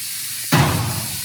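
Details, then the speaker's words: 1951 Ford Shoebox coupe, LS-swap project, newly plumbed air bag suspension on battery and switch: sudden rush of air settling into a steady hiss as the bags vent; normal lowering. "i think you're all the way down on the back all right let's watch this front"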